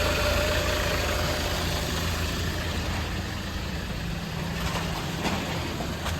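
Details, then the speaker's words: Alfa Romeo 159, which also puffs white smoke under boost: a thin steady power steering whine over a rough petrol idle; owner suspects air in the system or a failing pump. "basically the steering it's got the old Alpha wine hasn't it it's either getting air in the system or it's going to need a new pump"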